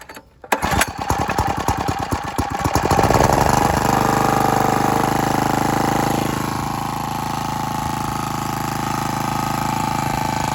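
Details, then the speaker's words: Generac CW15K gas water pump engine, unused for years, water in tank; after fresh oil and removing a wrong part near the carburetor, pull-start catches and settles into a steady, even single-cylinder putter with no misses or knocks; runs well. "Runs pretty well, actually."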